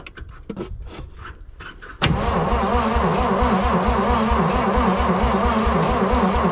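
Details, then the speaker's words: 1951 Dodge B series truck, first start attempt after long storage, just after an adjustment. One sharp bang with a fireball out of the exhaust, then a steady, even chug about three times a second; exhaust backfire, cause unconfirmed. "dude there's like a huge fireball right out of the exhaust oh yes god dude i'm so happy that it hit me in the face yeah me too are you ready yeah there's exhaust what the did you hear that yeah"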